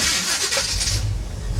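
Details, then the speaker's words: 1977 Chevy Monte Carlo, unrun for about 1.5 years: after turning the distributor the correct way to advance it, a short crank catches almost at once and settles into a steady low rumble. Normal quick start. "oh gee when you turn the distributor the correct way it actually works"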